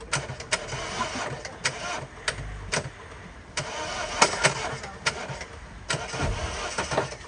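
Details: Flooded car after crossing a ford, start attempt after water was cleared from cylinders 1 and 2 and the soaked air filter was pulled: uneven cranking with irregular sharp bursts that never settle; hard starting after water ingestion.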